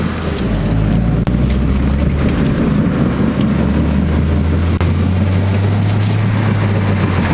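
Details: 1999 Honda Accord: steady low droning hum under road rumble while driving, persisting after bearings and axle were replaced on the wrong side; cause was the passenger-side wheel bearings, and the noise was gone after replacing them.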